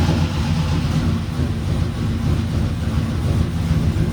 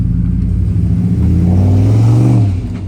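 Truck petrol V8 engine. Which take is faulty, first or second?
first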